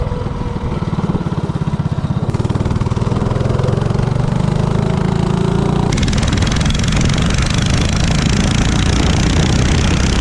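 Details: 197cc LCT snowblower engine on a Coleman CC100X minibike with Nibbi 24mm carburetor (120 main, 38 pilot jet), header pipe and 18lb valve springs revs smoothly with a steady even beat; richer pilot cured the earlier lean hesitation, normal running.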